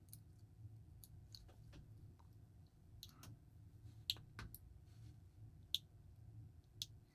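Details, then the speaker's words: Smiths Everest PRS-25 watch clasp after bending it per the seller's suggested fix: sharp, uneven little clicks every second or two in a quiet room as the clasp is pushed in, but it does not latch properly; clasp clicking and not latching. "if you can hear that or not it's kind of clicking as i'm pushing it in"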